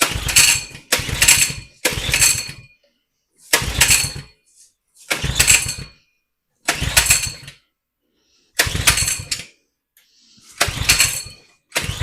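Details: 2020 Coleman 100cc minibike that was tipped over and lost its oil: short bursts of sharp raspy running, each about a second before cutting out; fuel starvation suspected from a rotten section of fuel line.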